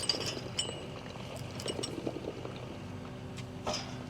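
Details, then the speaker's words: Windmill water pump well being pulled, pipe lifted; steady trickling and gurgling as water runs back down despite the lower check valve, leaking check valve, owner suspects more problems. "It shouldn't be doing that cuz I have a lower check. I think we have I think we got more problems than we know is going on, y'all."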